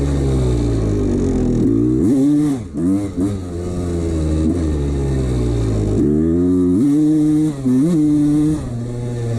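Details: 1989 Honda CR250 two-stroke blipped up and down with a loose metallic rattle under the revs; piston slap from a worn piston that the owner ignored.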